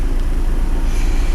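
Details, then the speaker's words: Doris camper van diesel at idle after the Vitron was got working: steady low chug, even and unbroken with no knocks or misses, a little wind; engine running happily. "She's quite happy just chugging along, and that is because the Vitron is now working."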